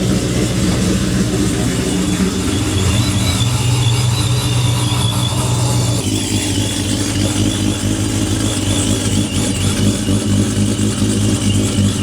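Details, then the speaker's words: Ram drag truck (9-second) with newly installed TorqStorm supercharger TorqStack, idling. Deep, even V8 idle with a steady thin supercharger whine and no misses or knocks. Healthy. "We're gonna let it sit here and idle for a minute so you guys can listen to the beast run."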